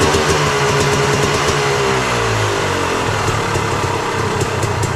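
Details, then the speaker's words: Yamaha YZ250 two-stroke, kick-started for the first time after a fresh top end (new Wiseco part) at 74 hours: a crackly buzz dropping from a rev to a steady fast idle, firing clean and running normally. "i just had it outside um kicked it over got it going fire it up now"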